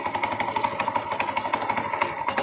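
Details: Old motorcycle, same engine as the Astrea Grand, unused for years, with oil seeping and hard starting: rough, diesel-like klotok knocking at idle, loudest around the middle of the engine; steady metallic internal knock.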